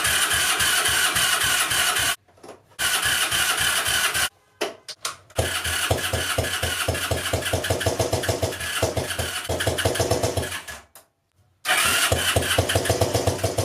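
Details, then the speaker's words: 2002 Yamaha Breeze 125 quad, first start after an engine rebuild for a bent valve: the single cylinder thumps unevenly, beats bunching and fading, and it cuts out repeatedly. Choppy, rough running, slightly better than before. "it does sound a little little bit better but I mean it's still just running really weird all righty guys so I mean it ran once again but it's just it's running so weird it's so choppy and everything"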